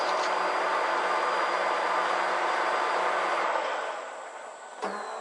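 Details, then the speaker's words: Ford Taurus 3.0 in-tank fuel pump, heard as the key cycles on and off: steady harsh bumblebee-like buzz with faint high whine for several seconds, fades, then a click; failing pump, to be replaced with tank removal. "ns okay it works it just makes a heck of a noise all started up and you can hear the sound and I'm sure if you have a Taurus it's probably doing the same thing a God awful noise it sounds like a bumblebee"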